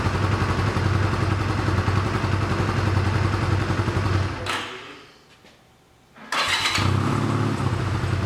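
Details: 1985 Honda Rebel, 2,000 miles, first start after 17 years, cold on choke with fresh fuel: choppy idle that sags and dies around four seconds then catches, won't take revs until warm; later smoked heavily then cleared, rings suspected.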